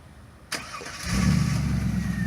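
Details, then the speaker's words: 1999 Pontiac Trans Am LS1 V8 (automatic, 93 octane, full tune-up, new belts) started by remote auto-start: a click, a short crank, then it catches at once and settles into a smooth, steady idle; normal clean start. "all right here she is running"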